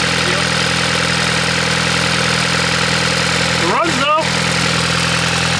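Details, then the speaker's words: VW MK6 Jetta GLI with a prior broken manifold, unplugged connectors and a replaced battery, possible fuel issue suspected: steady idle with light, quick ticking on top; upper-end lifter noise. "it's definitely got some upper end noise but it runs got got some lifter kicks"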